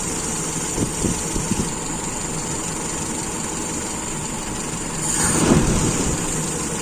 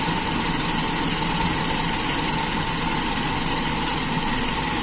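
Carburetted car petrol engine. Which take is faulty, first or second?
second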